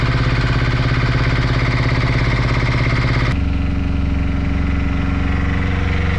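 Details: Brand-new Beta Marine 16 diesel, just installed in a sailboat after the old engine failed, runs in the harbor with a steady, even low thump and no misses, settling to a lower speed halfway through; normal healthy running.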